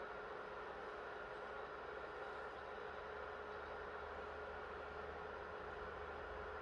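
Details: PS3 after NEC/TOKIN capacitor repair, previously shutting down on PS2 Classics and The Last of Us, keeping temps below 65 degrees: soft even airflow hiss, no rattle, surge or whine; cooling fan running smoothly and healthy.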